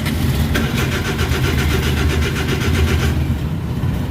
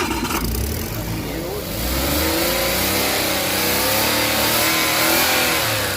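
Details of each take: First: Suzuki DA64/DA63/DA17, no shifter indicator lights, no ECM communication, code P0707: starter churns steadily about three seconds but never catches; crank no-start. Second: Suzuki engine after burnt wiring was fixed and the intake manifold refitted, following a crank-no-start fault with P0707 and no shifter indicators: it catches and revs up and down cleanly with no misfire; normal start and rev.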